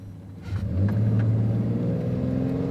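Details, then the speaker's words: Used low-mileage six-cylinder pickup on a drag-strip full-throttle run: engine note climbs smoothly and steadily with no knocks, misses or rattles; shifts very smooth, healthy engine. "it goes it's not a race truck but Hey listen to the engine the shifts were still very very smooth"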